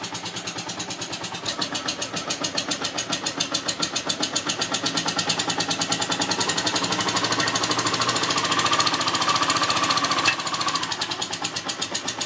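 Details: Yamaha TDM 850 (4TX) engine at idle with a fast, sharp, constant metallic ticking from the top end; cause not identified.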